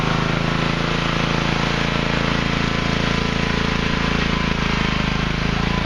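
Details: Craftsman Hydromatic mower with 15.5 hp Briggs and Stratton OHV single-cylinder, after draining overfilled oil to correct level: steady even beat about three and a half pulses a second; normal running.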